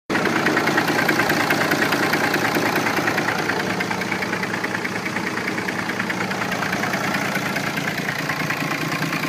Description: Trying to figure out what this sound is coming from the engine. Scaring the crap out of me.